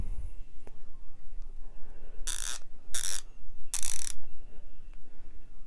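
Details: Harbor Freight Icon 1/2 in 50-250 ft-lb flex-head torque wrench, new and well oiled, ratchet worked by hand: three quick runs of fine, even clicking with crisp, uniform strokes and no skipping or grinding; a healthy ratchet.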